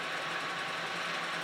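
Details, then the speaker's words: 1945 Kearney & Trecker 2HL horizontal mill cutting a groove in aluminum: a steady hissing cut with a faint rhythmic pulse once per cutter turn, caused by runout in the milling cutter arbor. "Again, you can hear the run out that arbor. A little later in this video, I'll show a little something I did that worked better."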